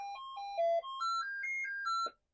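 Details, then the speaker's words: Commodore 64 tested with RetroRewind diagnostic cartridge: only one thin melody line plays, other voices and white noise missing; faulty SID sound chip. "Okay, this is to check that SID chip. Out of the three, from what I can tell, two are bad. One's kind of close to working, but it doesn't."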